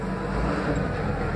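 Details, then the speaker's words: Astra losing coolant, brought in for a belt change: steady gritty grinding like a blender full of sand and stones over the running engine; worn, rusted water pump (coolant leaking there) found on disassembly, to be replaced with belt and system cleaned. "Já percebemos um barulho muito esquisito parecia um liquidificador batendo areia e pedra"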